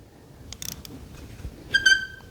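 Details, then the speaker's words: Yamaha Raptor ATV with swapped 1050cc engine: dry clicks then a high-pitched screech on cranking, engine turns over very slowly and feels held up; noise seems to come from low down, starter or starter gear suspected. "we can hear a kind of screeching noise, but it does turn over, but it turns over really, really slow."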